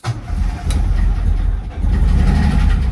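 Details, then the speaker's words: Escort RS Turbo not run since 1996: with brake cleaner sprayed into the filter it catches and runs rough for a few seconds, so spark and electrics are fine; fuel supply fault, relay and pump to be tested next. "yes so so it's obviously a fuel issue so i think we will need to look at the the relay and test the pump next job"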